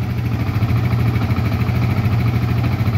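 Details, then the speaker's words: Yamaha Vixion single-cylinder fuel-injected bike after repair of several faults (socket and ECU replaced; a non-original stator had damaged the ECU); it was previously rough and couldn't idle. A low steady putter at an even beat with no misses: a normal smooth idle. "saya suaranya lumayan halus lah ini sebelumnya kasar kempracak"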